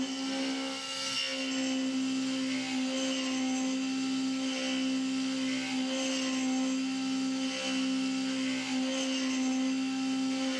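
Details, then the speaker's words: CNC mill cutting soft jaws for an AR15 gas block, steady cutting tone with dips as the spindle motor bogs, load meter reaching about 40%; the end mill is badly worn and chipped, possibly from spindle rpm too high and poor chip clearing. "so now you can hear it start to bog down and that's because this end mill is so worn has so many chips in it that it's actually bogging the spindle motor down a little bit"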